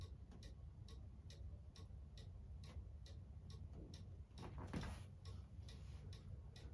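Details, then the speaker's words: Cuckoo clock on the wall after being shifted left or right by ear: crisp tick-tock about two beats a second, evenly spaced with no limp; the clock is now in beat. "It's even now. Now your clock's in beat."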